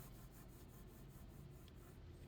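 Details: 2011 Mazda 6 front hub, caliper and rotor removed, spun by hand gives a quiet dry rubbing rasp with faint pulsing rhythm, really bad: worn front wheel bearing.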